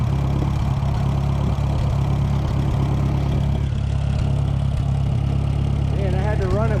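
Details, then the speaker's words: Engine powering a late-1960s Smyth Welding 3-point snow blower, running cold on almost full choke: chugs unevenly with wandering beats. Owner suspects the carburetor is iced up and adds Gas Line 80; cause unconfirmed. Rough running on choke in cold. "Choke on almost full. I'll bet you it's iced up inside that carburetor."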